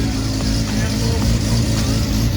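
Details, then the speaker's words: SCCA E-Production race-prepared Mazda RX7 rotary, first start after rebuild with rewired direct-fire ignition, rejetted Weber carburetor and external oiling; loud, deep, choppy burble at steady even idle, no misfires, lacking the old rap sound, running right. "so she's running it's living doesn't have that rap sound like right here i don't hear that bra direct fire i think it's because we get that direct fire so it's a little bit different now"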